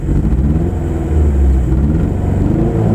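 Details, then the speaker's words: 1992 Honda Civic, no longer running well after racing to the rev limiter, revs with a rough, stumbling, uneven beat and no clean pull; driver feels it is missing a cylinder, not confirmed. "It's not running right. I feel like it's missing a cylinder."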